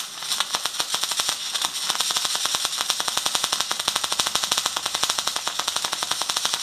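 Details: MIG welding test after dropping to about 15 volts with around 120–150 amps: sharp, even crackling ticks, roughly ten a second, holding a steady rhythm; weld not penetrating.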